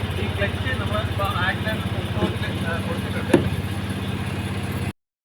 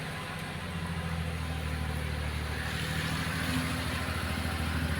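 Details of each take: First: Maruti Suzuki Alto with low pickup after earlier head work, climbing a slope at full throttle with the clutch fully engaged. A low, labouring drone never picks up, and the engine nears stalling; ignition timing is off. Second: Maruti Suzuki Alto that had low pickup after head work, now climbing a big slope easily in first gear with only light throttle. A steady, even drone fires smoothly with no misses or knocks; the engine pulls cleanly.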